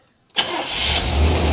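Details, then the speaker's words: 1977 Corvette C3, number-matching steel-crank 4-bolt-main 350 V8, start after several cranks without pumping gas on a borrowed battery: short crank, fires at once, builds into steady deep idle with no misfire or knocking; healthy start. "holy mackerel that thing just fired right [Music] up listen to this"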